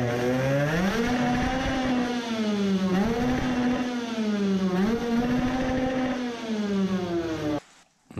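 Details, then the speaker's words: 50cc two-stroke racing moped with a new Italian race carburettor and 100 jet, screaming above about 15000 rpm: pitch wavers and stumbles, misfiring; ignition suspected, the stock CDI doubted, though a DIY CDI misfired too. Not confirmed. "I don't think the stock CDI likes over 15000rpm on the other hand even with my DIY CDI it did the same thing"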